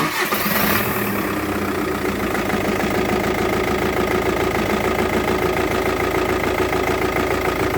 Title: Motorgeräusche bei defektem Injektor, es handelt sich um einen VW Touran 2.0tdi